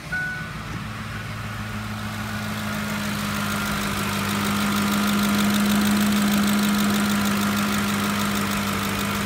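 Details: 2007 Ford F-150 5.4L 3-valve Triton V8 at idle after the spark plug and ignition coil were replaced: a steady, smooth hum with no ticking or tapping over the exhaust note, so the earlier lash-adjuster-like tick is gone and the engine sounds healthy.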